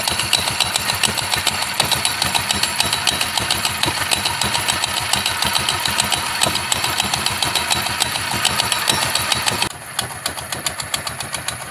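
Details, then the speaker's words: GY6-type scooter running with its old, very soft, loose drive belt: rapid, clattery slapping as the belt strikes the crankcase; fixed by fitting a new belt. "dahil sa sobrang Pagpag a tumatama doun tumatama na sa Crank casas yung belt nagko-cause ng ingay no"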